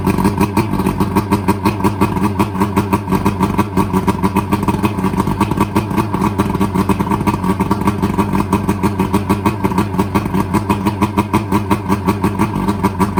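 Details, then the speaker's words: Boat outboard that was partly submerged when the boat sank, run two days later after the bad fuel was drained and fresh fuel added: steady, even pulsing drone with no stumbles or surging; it ran about a minute; normal running. "It cranked up, ran for about a minute."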